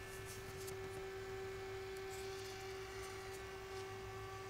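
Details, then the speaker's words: Cooling fan in an APC Back-UPS 1600VA (BX1600MI), microphone moved closer: a thin, steady mid-high whir at one pitch. Compared with the quiet Noctua replacement it is much louder, with stronger airflow, and an annoying vibration. Noisy cooling fan. "It's much louder. It's much louder. However, the airflow is much stronger as well."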